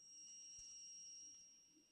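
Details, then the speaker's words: Game Gear V2 with an upgraded soundboard and power board, microphone held to the speaker: a thin, steady, very high-pitched whine with nothing playing, absent on the V1 unit; the owner is unsure whether the soundboard causes it. "I'm also getting a really really loud audio wine let me see if I can't get that on mic for you"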